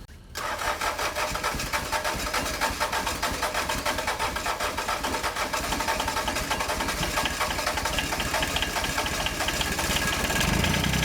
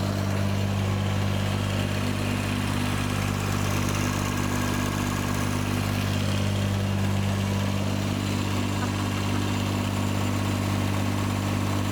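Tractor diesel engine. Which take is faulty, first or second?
first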